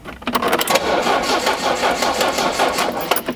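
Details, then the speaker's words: 1982 Renault Fuego long stored in garage, good compression, cranking about two and a half pulses a second, fires briefly on starting fluid; fuel not reaching engine; no-start from fuel starvation. "phase one was cranking does it crank does it sound like it's going to want to start even if we try other methods that was a yes phase two is if we Supply fuel will it start yes"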